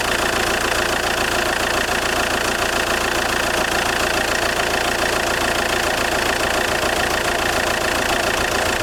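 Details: JTD 105 diesel idling cold with a steady, fairly regular creak-like tick about three or four a second over loud engine clatter, only when engine is cold; cause unclear; creaking noise at cold idle.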